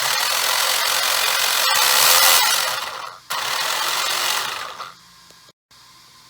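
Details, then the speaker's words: Traxxas 1/10 4x4 (Slash) RC car after spur gear replacement, slipper clutch tightening and gear mesh setting, light throttle test: even high whir rising and falling, no clicking or skipping; drivetrain running normally. "everything sounds good with just light power light throttle then you can start giving it a bit more just to make sure that everything sounds and looks good"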